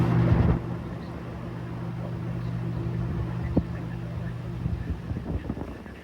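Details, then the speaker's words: RV rooftop AC fan motor after replacing a motor with dry bearings with an identical one: steady low smooth hum, no grinding or squeal, normal operation. "Now that's how they're supposed to sound."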